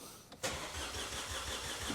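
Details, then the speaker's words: Vauxhall Corsa with replacement engine, coils disconnected to build oil pressure, in neutral, wheels off the ground: starter spins it evenly with regular matched compression pulses, no knock; healthy cranking. "I mean, it sounds healthy turning over, which is a good sign. It's not going whoop, whoop, whoop, No. you know."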